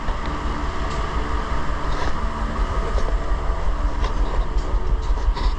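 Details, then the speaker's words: 2006 Infiniti G35, 200,000 km, new spark plugs: choppy, stumbling, loping idle, a P0300 random misfire, not a dead miss; bank 2 lean (+15 to +25% trims), no vacuum leak found, ignition checked fine; traced to bad fuel injectors. "and then as well just in case it's not showing up on the camera that well I don't know how well you can make out the choppiness"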